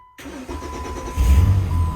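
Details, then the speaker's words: 2008 Jeep Wrangler after replacing the starter and battery: short crank, engine catches at once and settles into a steady, even idle; normal start. "oh yeah okay it's going"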